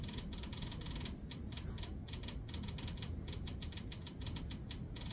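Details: Diesel tractor on a cold start, in neutral at mid throttle with the key in the glow position: sharp, dry clicks at a few per second, on and off, from the glow plug relay as the glow plugs are deliberately pulsed during preheat.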